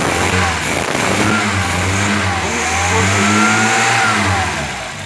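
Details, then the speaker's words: VW Voyage 1500 after fixing stalling, no-idle fault by swapping the 35 PDSI carburetor for a Weber 450 mini progressive with correct jetting and new manifold: smooth clean revs rising and falling evenly with no stumble or odd noise, normal. "Vocês estão ouvindo, não houve nenhum barulhinho, nada, ficou perfeito."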